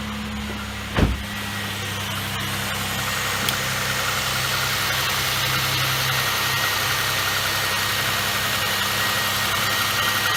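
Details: 2004 Chevrolet Impala 3400 V6, first start after replacing fuel pump, fuel filter and fuel pressure regulator: catches after a brief crank and settles into a smooth, even idle with a steady hum, nothing rough or ticking; normal idle.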